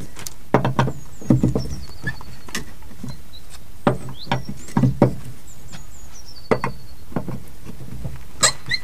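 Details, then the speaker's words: Neglected small boat trailer kept outdoors, jacked up with wheel off the ground and nuts loosened: wheel rocked both ways gives sharp clunks in short bursts, birds behind. Super loose, noisy wheel bearing play. "so as you can see both that way and that way that is like super loose so and it's quite noisy"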